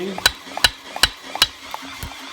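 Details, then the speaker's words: 2.0 Theta-type Kia Forte engine (Hyundai/Mitsubishi-related block): sharp metallic clacks; very light tapping at idle, knocking under load; finger pressure on pistons shows some cylinders smacking, possibly from failing pistons and cylinder walls (skirt slap). "the condition that we'd see is this was idling it would make very light tapping noise but as soon as you gave it load it would rack it"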